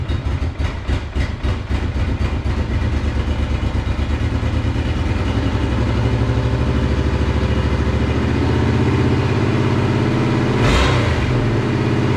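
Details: Monster golf cart build, first run after new fuel pump fitted: uneven stumbling idle that climbs to a fast high-revving drone after choke turned off, as if on one cylinder.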